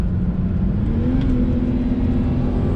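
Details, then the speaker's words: BMW E90 with N52 six-cylinder, after fixing VANOS codes blamed on Chinese parts and changing the oil filter, under throttle on road: smooth note climbing steadily, no hesitation or rattle; spilled oil burning off; normal acceleration. "their runs pretty much flawlessly till I got some oil on the sauce"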